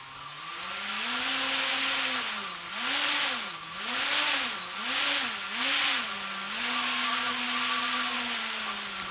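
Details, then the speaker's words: T-Motor 2206 2000KV brushless motor with DAL 6040 prop, strapped to bench, benchtop power supply and servo controller driving UBAD 20A ESC with active braking; clean whine spins up, quick stop-start swoops, then holds steady; healthy motor. "and then slowly ramping up the speed you can hear how fast it will go so this time we've got the propeller on and it's really strapped to the bench"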